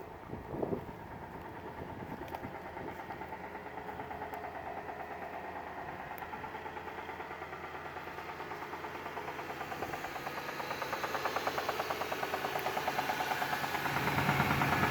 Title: does this sound like rod knock? sometimes I get good oil pressure sometimes I get none.